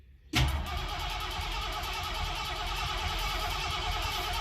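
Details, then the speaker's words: 1973 Torino with a used engine, fresh 10W40 oil, just started: rough idle with a quick, even tick, oil light not on, timing a little off; the engine was later found to have blow-by and judged junk. "That doesn't sound good. Something's ticking."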